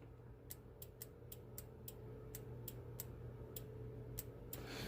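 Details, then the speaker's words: Honda rear defrost circuit: the relay is grounded by hand through its blue/yellow wire, giving about a dozen crisp, dry clicks over a faint hum. The relay pulls in and drops out cleanly and works normally. "I'm gonna probe the blue yellow wire on the relay see if I if you can make a click"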